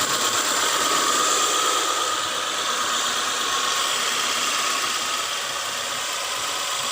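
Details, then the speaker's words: 1997 Honda CR-V RD1 after an O2 sensor replacement, following misfire and a catalytic converter glowing red; the warning light is still on. Now a steady, smooth idle with no stumble, and the converter no longer turns red. Normal idle. "the engine runs smooth [Applause] everything okay"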